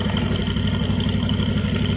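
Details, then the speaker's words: Jupiter MX single-cylinder idling after a total engine overhaul: new Indopat block set, timing chain, clutch, water pump parts, conrod and crank bearings, with radiator repaired and coolant stable. A quick, even putter, no ticks, misses or rattles. Healthy, no smoke now. "OK, next time we will listen to the sound, okay, you can compare it with the initial sound before repairing, Bro."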